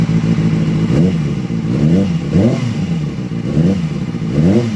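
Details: 2007–2008 Kawasaki ZX6R inline-four, cold, blipped about once a second after the cam chain tensioner was reset. It revs cleanly and the earlier ticking has stopped, with the cam chain running quiet.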